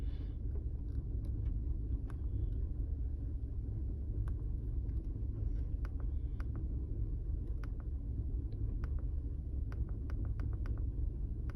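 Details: 2005 Chevy Colorado 3.5 with 330,000 miles, P0300, idling rough: deep uneven rumble with irregular sharp ticks; scan shows cylinder 3 with 16,289 misfires.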